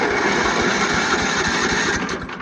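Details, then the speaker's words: Free Craftsman riding mower, starter solenoid bypassed with a jump starter: steady even cranking with regular compression pulses, no grinding; engine is free and turns over well. "All right, it turns over good."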